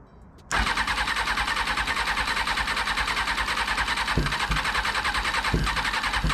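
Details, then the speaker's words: 2000 Kawasaki ZX6R (carbureted) being rebuilt cranks steadily at a few turns per second on starter fluid but never catches or backfires; ignition judged fine, no fuel seen from pump, owner suspects fuel flow issue, possibly failed fuel pump. "okay all right well at least I know the ignition is working fine it is going to be a fuel flow issue"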